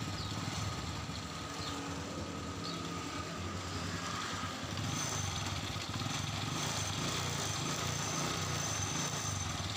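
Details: Honda Absolute Revo motorcycle after fixing tick-tick noise on throttle release by shifting clutch primary gear two teeth; small engine ticks over at a steady, even idle with no tapping, running normally.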